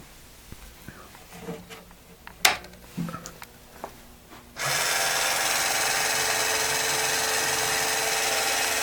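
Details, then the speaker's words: 1991 Williams Terminator 2 pinball, power-on after fixing a gun that wouldn't return home: clicks and relay knocks, then steady loud hiss; dead backup batteries on the board wiped settings (factory settings restored), gun motor calibrating. "see if i can stop the the gun is trying to calibrate itself right now so i'll stop that"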